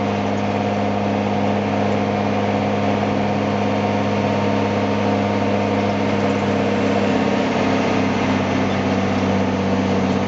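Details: M35A2 deuce and a half truck after installing an AeroTurbine AT3535XL long muffler with internal resonator, around 1200–1300 rpm: deep, steady diesel growl under load, even and full with no whistle or knocking; normal exhaust note.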